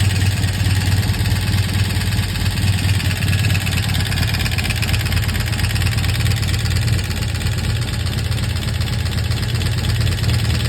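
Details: 1983 Honda CM450 twin idling with a heavy, uneven knocking about four times a second over its deep exhaust; culprit later found and fixed, running smooth and quiet afterward.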